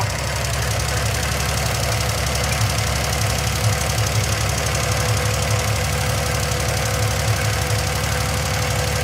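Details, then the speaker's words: 1971 Triumph TR6 six, running after 20 years laid up. Steady, fast, light ticking clatter over the idle. The skewed rocker shaft is believed to be the issue: the oil feed rises through a pedestal and runs down the shaft's center to oil each rocker. "No, I do believe that's the issue though. It probably comes up through one of the pedestals is the oil feed and it goes down the center of the rocker shaft and oils each one of them."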